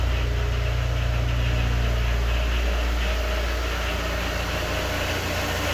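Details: Honda S2000 after replacing faulty MAP sensor (code P0108, engine cutting out), connector clipped and o-ring fitted: deep steady idle, even low rumble about three pulses a second, no stumbling or cutting out; fixed, normal idle.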